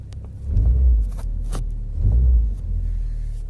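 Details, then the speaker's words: Geely CK cabin drone and body vibration: deep swelling hum with light knocks, heard only inside the cabin; front engine mount suspected to have sagged slightly and to touch the body. "такой гул стоит только салоне сейчас мы будем пробовать как от этого избавиться"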